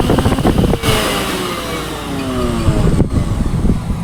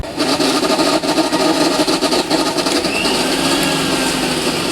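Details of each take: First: Philips mixer grinder after repair, previously making a lot of noise inside, reassembled with the cabinet screwed tight: motor spins up and holds a smooth, even whir with no scraping or rattle; running normally. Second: Philips 16+16 mixer grinder running before disassembly: loud harsh motor roar with fast uneven rattle about four times a second, far noisier than normal; cause not yet found.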